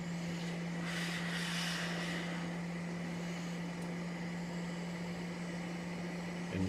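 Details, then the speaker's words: CPAP machine blower after 3D-printed fan repair runs smoothly with a steady low hum and slight even whine; fan not yet balanced, whine not very loud. "all right it's all back together fire it up she's whining a little bit i haven't balanced the fan yet but uh it's working excellent"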